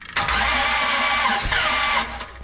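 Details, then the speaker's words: 1967 Dodge Coronet 500 with a new Mopar big-block V8 cranks with a harsh, ragged cough, coughing out the carb, and won't catch. Compression on only one cylinder; suspected valves not closing fully. "coughing out the carb that whole time Jesus that's cool that was a bad one"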